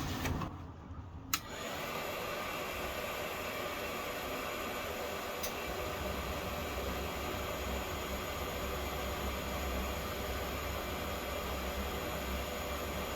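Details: Propex/Heat Source HS2000/HS2800 LPG space heater in a motorhome after cleaning and service, previously lighting then shutting off with a fault: a click, then steady rush of air and burner roar, no surging; now running properly.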